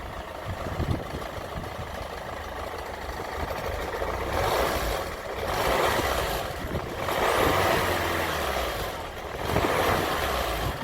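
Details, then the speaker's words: Land Rover Freelander 1 with 2.0 TD4 BMW diesel, just started, with the noise worsening over six months: a dull, uneven knock under the clatter that swells with revs and gets worse as it warms. Oil change barely helped; diagnosed as a failing crankshaft pulley damper. "it's an overrun it's really bad but when the engine starts to warm up you can hear it now just knocking away"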